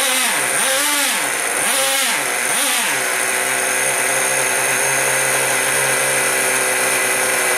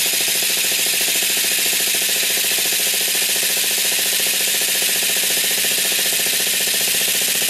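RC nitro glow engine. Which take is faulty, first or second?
second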